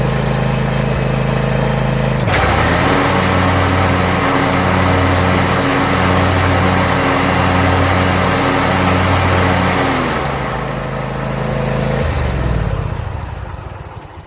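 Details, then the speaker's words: John Deere Z335E zero-turn mower after a spindle replacement done without removing the deck. The engine hums at steady idle and the blades engage with a smooth, even whirr, no grinding or knocking, then wind down cleanly: normal blade engagement. "all right all that's left now is to start it up and make sure the blades are doing what they're supposed to"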